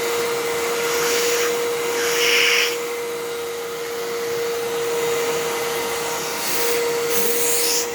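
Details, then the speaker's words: Halloween-themed Fantom Fury vacuum, replacement brush roll fitted (bristles shorter than the original): steady motor whine with a rough, scratchy rush on top; brush roll sounds bad and overall louder than the owner's other Fury, though the bearings seem okay. "so oh that brush roll that sounds so bad"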